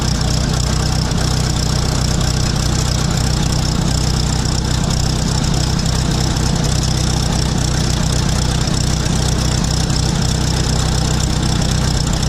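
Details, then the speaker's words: 1966 International 806 diesel tractor idling unloaded with a Gehl one-row corn chopper: a lumpy, uneven low thump about three beats a second. Owner says it smooths out once powered up and working; cause unknown. "I know I know it sounds like it's not running very good and that's obviously not but once you get it powered up and working that sounds all it kind of gets itself in time"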